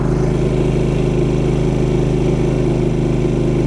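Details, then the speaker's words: Champion 3500 W dual fuel inverter generator, load switched back on: voltage drops to about 115 V and returns to 120 V, drawing about 11.5 A. Steady deep hum with no knocks or hunting; normal under load. "drop down to about a hundred and fifteen volts and immediately back up to 120 and again still reading about eleven and a half amps"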